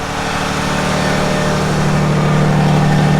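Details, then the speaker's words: 2019 RAM 3500 High Output Cummins diesel, checked after 600 miles on bad diesel: smooth even idle rising to high idle, hydraulic lash adjuster ticking gone; engine sounds clean and healthy. "the truck sounds good. That's how it's supposed to sound. Sounds clean. You can't hear the hydraulic lash adjusters anymore."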